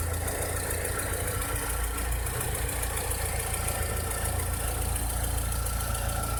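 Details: 2006–2007 VW SpaceFox engine at idle: a steady idle with an uneven, loose knocking about three times a second over the hum; a strange engine noise whose cause is not identified.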